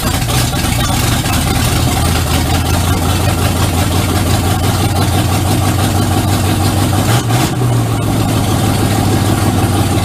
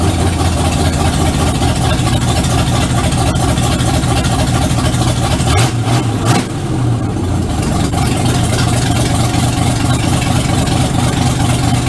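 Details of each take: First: 1951 Ford F1 with rebuilt engine on EFI and MSD 6AL digital ignition, first start in the truck: steady, even low rumble with no misses, knocks or ticks over ten seconds; normal idle. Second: 1951 Ford F1 rebuild, owner-built V8 on first start in the truck, no exhaust or oxygen sensor fitted yet, so running a bit rich until it learns new fuel tables: steady idle with slightly uneven low pulse and brief stumble; rich-running idle.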